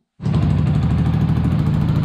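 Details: Yamaha MT 125 single-cylinder, revived after a crash, running on a makeshift cooling setup without its proper radiator, putters at a steady, even idle with a low regular beat, no knocks or misses; normal idle before warm-up.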